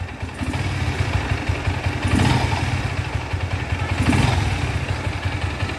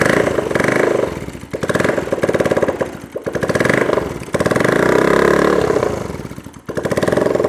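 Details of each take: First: Bajaj Pulsar AS 150 single-cylinder just after full engine rebuild (new valves, seals, guides, cam, rockers, timing set), first start before break-in: steady idle with even beat, gentle rises, no knocking or ticking; running healthy. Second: Bajaj Pulsar AS 150 motorcycle, engine previously rebuilt: rough gritty clatter over each rev swell like a mixer machine, rubbing sound with clutch pulled; teardown finds jammed bearing, worn internals and clutch assembly needing replacement.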